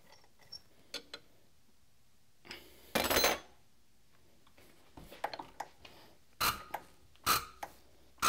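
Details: Cummins injector with a VCO nozzle on the pop tester, compared against a SAC nozzle with the same hole size. Short sharp hissing bursts about once a second with crisp clicks between; a normal VCO pop and chatter.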